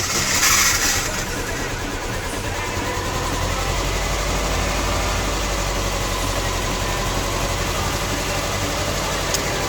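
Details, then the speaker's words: Petrol engine right after new spark plugs: catches and settles into an uneven, lumpy idle, still misfiring on the same two cylinders; every part for them replaced, suspected ECU or valve issue. "Nope, no difference. Still misfiring. I'm sure it's on the same two over here."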